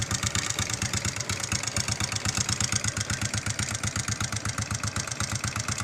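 Steady idle with a sharp, even knock about 160 times a minute riding over the exhaust beat; a knock whose source isn't pinned down.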